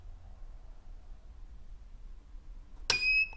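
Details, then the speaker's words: WZRELB 3000W pure sine wave inverter, battery connected, switched off after charging: near silence then one short high beep about a third of a second; normal shutdown tone, not capacitor discharge. "but notice the difference in the length of the tone when it was actually discharging so when the battery is on and you just turn off the inverter after it's been charged"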